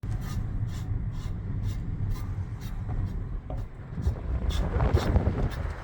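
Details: Tesla Model X: high scraping screech-swish repeating about twice a second with wheel rotation, caused by a rock rubbing against the brake rotor; easy fix by removing it.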